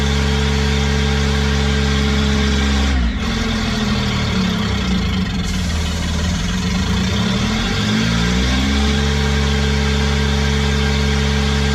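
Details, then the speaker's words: Small Kubota diesel driving a hydrovane air pump, after a new 8-tooth-pinion starter fitted; steady even beat, bogs briefly under load mid-clip then recovers; engine sounds healthy, though the pump makes no air and stalls when the tap is shut. "but at least the engine runs and the engine sounds"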